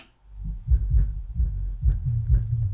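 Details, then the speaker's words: Miller & Kreisel MX-125II subwoofer, 24+ years old, with a complaint of loud thumping, after capacitor replacement and cleaning of the controls: deep, clean bass with no crackle or buzz. Normal bass output. "it is playing it's shaking the lights has so much bass"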